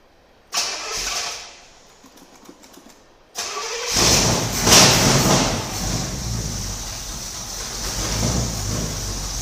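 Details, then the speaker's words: 1968 Firebird with swapped-in cammed 400 Pontiac V8 (replacing a 350), Demon carburetor, first start after rebuild: brief crank, then catches and settles into a steady even idle with lumpy cam beat; starts clean, needs some fine tuning. "all right all right Paul she stirred right up I guess I'm just gonna need to do some fine tuning on it"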